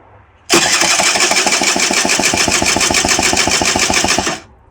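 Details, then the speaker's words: 2008 Rieju RS50 Matrix, 6,800 km, cranks but won't fire, carburetor removed, spark present: quick even cranking pulses, no firing; compression 80 versus 150–180 expected, badly scored piston and cylinder found; low compression. "No throttle since we don't have a carb, and compression is junk. We should have had between 150 and 180. We have 80. So we need to tear into the top end."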